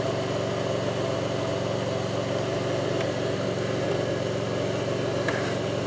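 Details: 2002 Pontiac Grand Prix 3800 V6 at idle, no check-engine light, alternator overheating; faint intermittent thumping pulls the idle down. Uneven idle with an irregular lope and occasional soft thumps over the hum: rough idle, cause not yet found.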